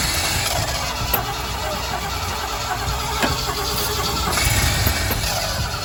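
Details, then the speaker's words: Jeep V8 revived after starter ground fix, running only on ether: catches and runs roughly, uneven and fading; the carburetor isn't supplying fuel, owner plans to fit a Holley carb. "It's weird. That kind of, it was going to be a parts Jeep and then it did that. And like, granted, we only got it running off of ether."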